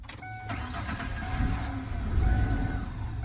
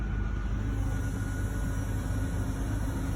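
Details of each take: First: 2002 Ford Explorer 2-door after repairing a fuel pump hose through a cut access panel: engine catches and runs unevenly under a wavering whistle, then dies out. Owner suspects the emission system isn't airtight. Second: 2002 Ford Explorer 2-door after repairing a fuel pump hose through a cut access panel. Smooth, even low rumble with no knocks, misses or surging, idling steadily, though it later dies out: normal idle.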